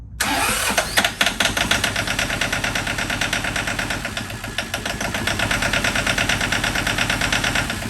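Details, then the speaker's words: John Deere 650 4x4 tractor diesel, first start after budget engine rebuild: steady starter cranking about three beats a second with no catch, air still being purged from fuel lines. "no I mean it's just fuel now just a fuel line so go ahead and spin a little bit"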